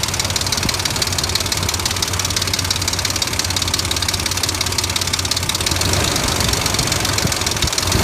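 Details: 2003 Dodge Ram 1500 4.7 at steady idle with a sharp, regular internal knock at engine speed; mechanics variously suspect the timing chain or recommend an engine replacement, cause not confirmed.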